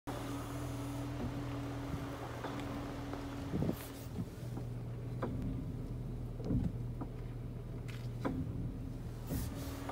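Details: 2021 Jeep Cherokee at idle: sharp isolated brake clicks, one with each brake pedal press in reverse, repeating after each release; the noise stops once the car is warmed up, so heard cold.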